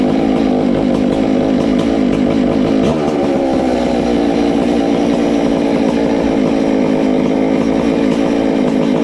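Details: Ported Farmertec MS660 two-stroke chainsaw, 22 degrees blowdown, extra muffler cover port added, tuned with tach: loud steady scream flat out, no stumble or misfire, much louder, over 15 thousand rpm.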